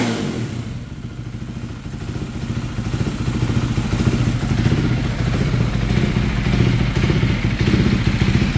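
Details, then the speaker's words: KTM 390 Duke single-cylinder just after an idle relearn, being tuned with a Power Commander: an uneven, stumbling beat as revs climb, running rough under throttle. More fuel is added, which smooths it out. "all right still running rough going to add some more fuel"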